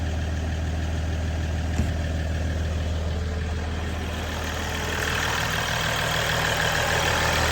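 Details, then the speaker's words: 2022 Ram EcoDiesel 3.0 diesel with aFe intake, after installing aFe Power Blade Runner charge pipes: even low diesel clatter at steady idle, faint turbo whistle rising slightly near the end; turbo heard a bit more, normal idle. "from what I can hear sounds like you can hear the turbo a little bit more which is good any any more noise is good"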